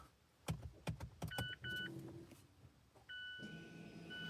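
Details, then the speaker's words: 2017 Mazda 3 leaving brake maintenance mode after new rear rotors and pads (ignition on, foot to the floor, switch pulled up and pressed three times): clicks, thumps, then a steady motor whine as rear brakes wind back in normally. "Now you can hear it winding back in. That's it."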